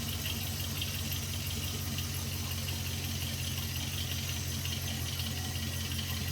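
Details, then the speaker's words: 2001 Jeep Grand Cherokee WJ 4.7L PowerTech V8 at cold idle: a deep, dull low-end knock under the rumble, only when cold, gone within the first 2 minutes of running. Rod knock suspected. "Got some low end knock, but it only happens when it's cold. Within the first 2 minutes of it running, it goes away."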